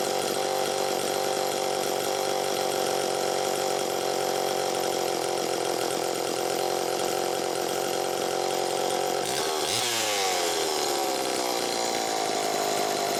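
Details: Super EZ chainsaw test run after repairs: new throttle handle, blown-out muffler replaced, extreme carbon cleared from the muffler port, points cleaned, crank seals replaced and a decompression-valve leak addressed. A steady high-pitched buzz holds speed, then revs fall away smoothly with no hunting; it runs healthy.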